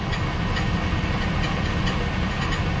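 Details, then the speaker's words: Chevy Silverado (title says 2013, spoken as 2003), customer complaint of oil leak and strange noise: sharp metallic tick about twice a second over steady idle, heard from underneath, where the flywheel seems to be hitting the starter. "so uh can you hear that noise that sounds like the uh flywheel keeping a uh the starter the starter right there"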